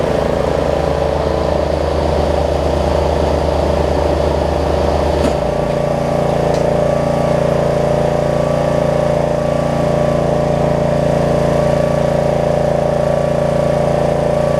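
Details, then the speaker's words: Snapper rear-engine riding mower, repaired after bad gas, test-run after the fix: the engine holds a smooth, even beat, shifts speed cleanly partway through and keeps running steady without stumbling; normal running. "i'd say that's a success second pull make sure it runs and or dries and cuts like it should"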